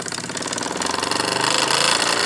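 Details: Wilesco D6 model steam engine now up to boiler pressure: quick, even chuffing beat that builds slightly then holds steady, no knocks or hiss; running normally despite a small whistle leak (owner plans a new washer).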